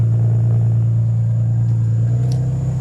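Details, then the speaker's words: Tim's Lexus IS300 (fuel pump hardwired with relay and fuses to bypass EFI) after exhaust repair: deep, steady low idle rumble with no ticks, leaks or rattles; normal, healthy exhaust note. "So also, Tim got his exhaust fixed today. Shout out Carsmatic LLC. Drop the @ right here. It sounds freaking good."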